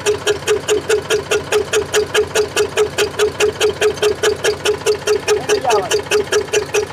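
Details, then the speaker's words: Eicher 485 tractor diesel with white smoke and starting problem, running: sharp very regular ticking about 140 per minute; tappet clearance too tight. "यह आवाज का मतलब है कि इसका टाइट है वह कुछ भी नहीं है ओन्ली स्टेप टाइट है"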